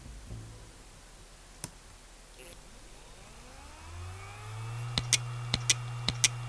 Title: Dying Western Digital WD WMAM9K308462 80GB Hard Drive Sounds. Trying To Spin Up